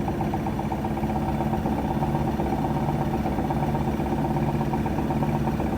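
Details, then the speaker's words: Whirlpool SCW1112WH washer on Quick Wash 30, spinning at 1200 rpm: a fast steady spin hum with a fair bit of light drum rattle over it. No grinding from the SKF bearings, which are said to tolerate it. "It does rattle a fair bit. It's okay though. There's a set of SKF bearings in there, so they'll tolerate it."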